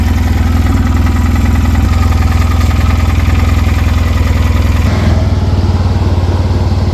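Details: 2007 Polaris Ranger 700 XP, 5400 miles and 900 hours, at idle: heavy low thud about twice a second over the exhaust beat. Deep internal knock, source unclear; valve train looked fine, and the engine was replaced.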